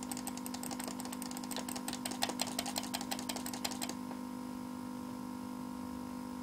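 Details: PC that froze while playing a video, a frequent fault that sometimes clears after 5–10 minutes with a graphics card notice: fast irregular clicking stutter about three per second over a steady buzz for four seconds, then only buzz; cause undetermined.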